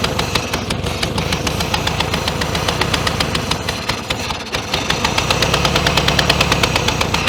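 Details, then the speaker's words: 1966 Volkswagen Beetle first start after over 10 years in a junkyard, choked by hand over the carburetor: uneven popping and sharp cracks, about three per second, over a ragged idle; backfiring and rough running. "just um using my hand to choke it a little bit there don't really recommend it so it backfires you can get a hamburger rather well done"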